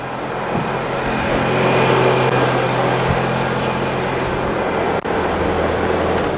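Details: Scion tC after alternator replacement with the belt refitted, battery just replaced: even petrol idle under street noise, no squeal, whine or rattle from the belt area; battery light out, 13.7 V charging, charging system healthy.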